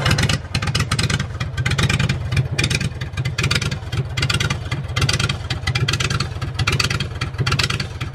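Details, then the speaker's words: Generator in a school bus motorhome conversion with muffler visibly disconnected; loud, raw, popping Harley-like exhaust bark at a steady run with no muffling: loud unmuffled exhaust. "okay we're getting ready to fire up Mah Harley again that's what it sounds like without the muffler connected you can see that the muffler is not connected there all right you ready uhhuh"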